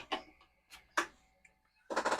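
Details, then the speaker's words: Commodore 4040 dual disk drive reading a disk's directory; irregular light head-stepping clicks then fast ticking burst as directory loads; disk and drive read normally. "And the directory does indeed come up on that disk, so this disk is okay, this disk is okay."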